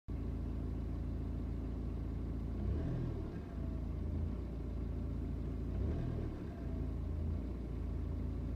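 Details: BMW 320d N47 diesel: lumpy, uneven idle that swells every three seconds or so and jumps when coming back down; blue smoke and strong smell on cold start; rough idle with surge, possible misfire.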